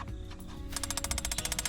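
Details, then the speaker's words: Swift caravan gas hot water system after its igniter/ignition switch was swapped because the burner would not light. Rapid even ticking, about twelve clicks a second, over a low hum, and it lights straight away. Normal igniter clicking. "She goes straight away. Let's go. So that's all that is. That's your ignition switch."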